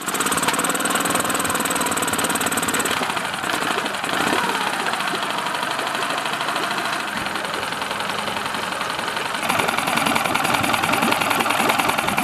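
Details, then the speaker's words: Honda outboard after cleaning the carburetor idle jet with a fine wire: busy but steady idle with a quick even patter about three beats a second; it idles properly again, normal. "so I'm going to put it back in the engine now start it up and show you that the engine idles properly"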